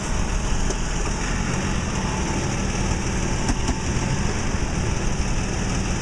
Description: 2008 Toyota Tacoma Grinding Noise due to a failing belt tensioner. This will be replaced under warranty.